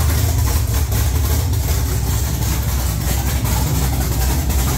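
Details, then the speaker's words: 1969 Camaro with swapped LS3 V8, Holley ECU speed-density startup tune: loud, deep, choppy rumble with a steady lumpy beat, idling on its own without stalling like a pro stock car; normal idle. "that's what we needed boys our 1969 camaro idling sounded like a goddamn pro stock car"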